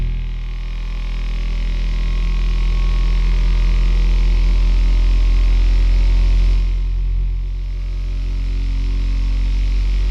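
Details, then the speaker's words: Sovol SV07 (Plus) 3D printer running a Klipper input shaper "Measure X" sweep with the accelerometer on the extruder: the print head shakes at rising frequency, giving a low droning buzz that climbs in pitch and builds as it nears 100 Hz; normal. "We can hear a little bit of sound. Higher and higher frequency sound, as the frequency increases."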